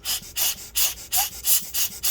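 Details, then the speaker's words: Dell XPS 15 9560 laptop fan after cleaning: rapid rhythmic hissing scrapes over a faint whir, a blade rubbing; suspected pressure on the fan housing squeezing it. "as you can hear you can hear that scraping sound so maybe that's what's going on"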